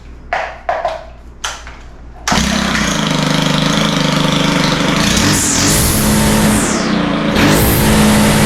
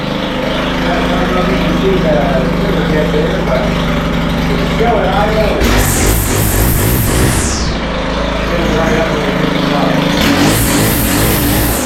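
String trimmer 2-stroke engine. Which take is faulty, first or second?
second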